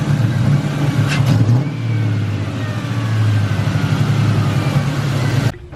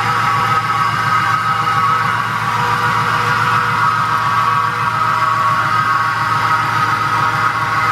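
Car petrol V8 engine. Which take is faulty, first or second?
second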